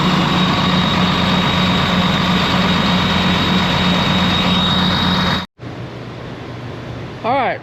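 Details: Ex-US Army Cat D6R bulldozer diesel, 822 hours, oil coming from cylinders where injectors dropped: idling with a lumpy, uneven beat under the clatter, then drops off; misfire, number 6 not reacting to cylinder cut-out.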